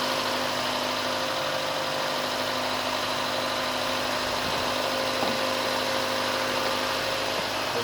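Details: Uneven, stumbling idle that keeps dropping out after first start of a rebuilt car left sitting dry a long time, fuel pump purged; sounds like a misfire, head gasket mentioned but unconfirmed.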